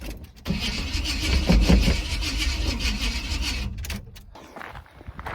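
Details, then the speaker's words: 1980 Chevrolet C10 Cheyenne on its first road trip, after too much fuel was dumped down the carb: the starter drags the engine over slowly and unevenly for a few seconds, never fires; owner suspects flooding, maybe weak battery or alternator not charging. "see nope she might be flooded now shoot hm that's not good"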